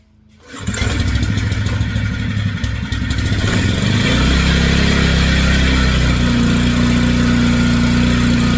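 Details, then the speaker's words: Generac 3500XL generator right after replacing the faulty low oil pressure switch, which had been shutting the engine off within 5-10 seconds even with good oil: starts at once, brief surge, then a steady even drone with no misses. "So, I got that in there. I did just turn it on and it ran awesome."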